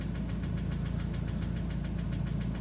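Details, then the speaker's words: Opel Astra H, Z17DTH diesel with Bosch fuel system, after an unsuccessful overhaul with injector replacement at another shop: sharp, regular mechanical knock over a steady idle, traced to the first cylinder; cylinder cut-out tests done. "результат щось неякий стук іде з першого циліндра отут десь чить"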